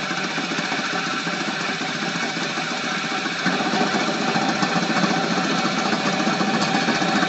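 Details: Flywheel rig belt-driven by a start-capacitor/run-capacitor motor. A 50 µF run capacitor fitted in place of the 25 µF gives a steady roar with uneven thumping belt slap about three to four times a second. The motor draws nearly a kilowatt.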